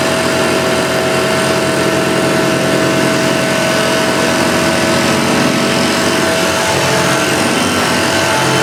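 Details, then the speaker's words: Restored Hoover Junior Dirtsearcher 1354A upright vacuum after a stretched agitator belt was replaced: steady, even motor hum with a constant high tone and smooth brush whirr, no slipping or flapping; belt drive healthy. "so yeah both works really really well"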